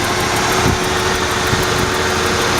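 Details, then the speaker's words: 1994 Ford F-150 4.9L inline-six after replacing a bad new spark plug, idling slow and steady at about 600 rpm with all cylinders firing evenly, though it still hunts slightly; normal idle. "really can't complain. That one cylinder's working good again."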